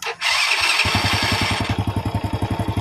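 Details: Honda Astrea Grand motorcycle with double-start/hard-start problem, after fitting a new CDI: brief starter whir, engine catches at once into an even steady idle; a clean electric start.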